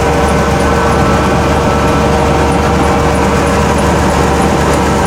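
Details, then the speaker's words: 1991 Ford F-150 300 straight six, quick cold start in winter: loud, raw blatty idle, steady firing with light ticking about three per second; exhaust missing, owner suspects possible exhaust leak. "now here's the 300 straight six my exhaust is missing as you can see down there it still might have an exhaust leak anyway"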